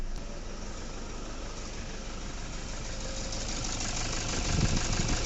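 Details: Toyota Fortuner diesel idling roughly with an uneven knock three to four times a second and a pickup problem; scan showed an injector circuit open code, traced to broken injector wiring.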